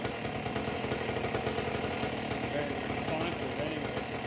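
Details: A Husqvarna 268XP chainsaw with a homemade expansion pipe, no bar, carburettor not yet tuned; a lumpy, burbling two-stroke note that blubbers unevenly instead of running crisp. It is running very rich but is zippy.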